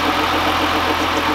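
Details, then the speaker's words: 2015 GMC Sierra at idle: odd hard, busy note over a steady idle; weird noise of unknown source, seemingly from one side but could echo; belt removal planned to rule out accessory drive. "you can see if bro is going to help me find the diagnose this weird noise that was the problem"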